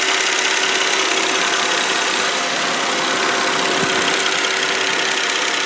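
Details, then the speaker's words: 2002 Volvo S80 sedan, 2.9L V6 at idle, hood open, not revved: steady even idle hum with fine ticking hiss on top, no knocks or misses; normal idle. "all right this is a 2.9 L V6 motor um I don't see the little cable to rev it up so what I'm going to do is just be quiet let you listen the motor"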